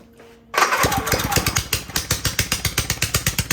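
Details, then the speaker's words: Honda EU3000is inverter generator that smokes and makes no power, running with exhaust removed: loud, sharp open-exhaust pops about seven a second, slightly uneven, still smoking; wet spark plug shows it running very rich. "Yeah, it looks, it's running way, I would obviously rich. I mean, that spark plug is wet."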